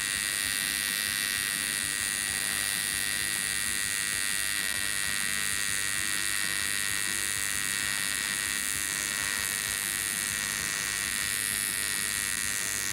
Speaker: so that humming and kind of buzzing sound you were hearing that actually is the alternating current where it's flipping negative to positive